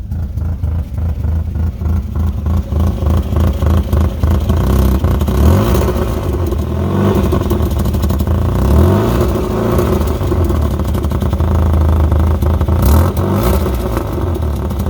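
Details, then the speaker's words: 2008 Chevy Aveo5 four-cylinder daily driver: loud, raspy drone with rapid puffing swelling with revs from a severe exhaust leak, later repaired by welding. "as you can see or here rather in that first clip one of our daily drivers recently developed a pretty noticeable exhaust leak"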